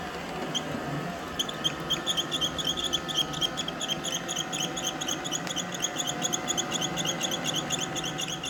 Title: iRobot making squeaking sound.